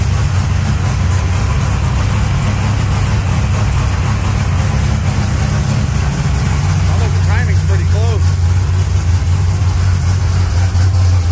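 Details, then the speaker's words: Freshly installed engine in a 1200 hp NOS Mustang build on jack stands, first start: deep, loud, lumpy V8 idle holding steady with no knocks or misses; running a little rich, transmission works. "come on baby oh my god oh it sounds great"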